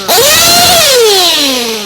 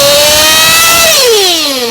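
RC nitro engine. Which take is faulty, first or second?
second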